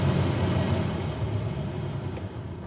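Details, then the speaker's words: 2011–2017 Hyundai Accent blower motor on fan speed two, which had failed to come on until the unit was tapped: steady low rumbling whir, rougher and louder than it should be; noisy blower motor. "you hear that noise that's the noise on two shouldn't be making that noise"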